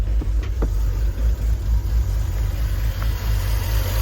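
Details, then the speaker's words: Impound-auction BMW E46 330i, first start, very low on fuel, throttle being modulated: rough uneven idle with sharp pops, a lean backfire through the intake from massive vacuum leaks, likely why it was parked. "That's a lean backfire in the intake, so massive vacuum leaks. Likely why it was parked."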